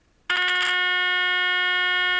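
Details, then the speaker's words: EverReady N3 radio, 400 Hz test signal fed into the amplification stage: clean, loud, undistorted steady tone with no hum or crackle; amplifier satisfactory, fault likely in the high-frequency section, not power supply. "the amplification of the radio is really satisfactory satisfactory"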